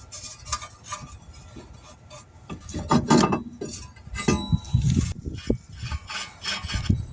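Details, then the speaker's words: 2022 Nissan Sentra hub, spun by hand with the brake caliper removed: uneven, gritty rubbing that rises and falls with each turn, a noise that should not be present. A worn wheel hub bearing, replaced as a hub assembly. "And as the guy here is saying, this noise is not normal. This noise shouldn't be present."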